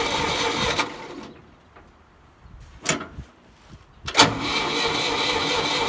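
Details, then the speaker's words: Old Ford forklift with repaired updraft carburetor: engine spins in short cranking bursts with pauses and never fires; it won't start because the fuel was left turned off. "oh i know what's wrong you gotta turn on the fuel duh there maybe now it'll run"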